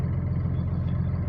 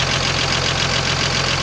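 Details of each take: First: Cummins diesel at idle after rebuild with new connecting-rod small-end bushings and pins: low steady rumble with even beat, no tapping or knock; the earlier knock is gone, idling clean. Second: Cummins diesel idling with a sharp, regular knock about twice a second over the clatter; the cause was connecting rod small-end bushings, newly installed and machined for new pins by the owner without enough know-how.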